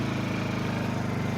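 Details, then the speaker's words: 6-year-old Honda EU2000i generator powering a window air conditioner on high via extension cord: even, steady engine drone with smooth low pulse, no misses or hunting under load; normal running under load. "conditioner on high and it's still just running just to smooth"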